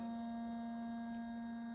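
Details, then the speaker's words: Truck with aftermarket HID headlights: as soon as the headlights are switched on, a constant high-pitched buzz with a thin whine and no rhythm comes from the HIDs. HID headlight buzz. "the cab lights are noise soon as I turn the head come here listen to this oh it's the headlights I bet those are HIDs"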